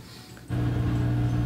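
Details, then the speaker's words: Front-load washing machine after replacing the faulty door lock that stopped it spinning, set to drain and spin: steady smooth motor hum as the drum tumbles both ways then picks up speed; working normally. "it just gradually will tumble in two directions it will start to slowly pick up speed in one direction then you know you know you're out of the woods you know it's working"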